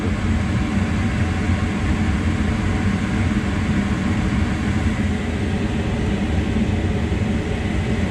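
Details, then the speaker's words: Mana 80 SV Air Command furnace after a no-start repair (bugs, stuck exhaust fan): the blower starts on the circuit-board timer after the burners light and runs to cool the unit so the limit doesn't trip. Steady, even low whoosh and hum, normal blower operation. "So the blower started. Just letting it cool down a little bit here."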